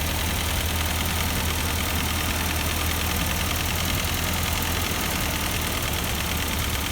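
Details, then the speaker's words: Partially restored Ford 8N tractor, after freeing a stuck number four intake valve that gave no compression: steady, even low rumble with no miss, and no bad gears or clicking from the transmission. "there's no bad gears or clicking sounds or anything in transmission so that's real good"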